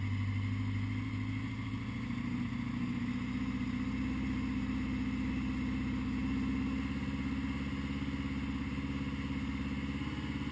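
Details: 1980 Honda GL1100 after a rebuild, slightly cold start at 54 degrees, carbs synchronised; smooth, even flat-four idle with a steady low beat settling as it warms, no misses or rattles: normal cold idle.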